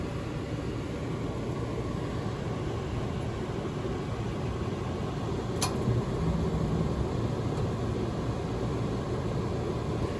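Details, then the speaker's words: RV furnace refitted after cleaning fuzz from the sail switch, ductwork not yet connected: steady blower hum with a single click but no ignition whoosh; burner doesn't light, gas apparently not let through. "not letting the gas through i guess i still have more work to do"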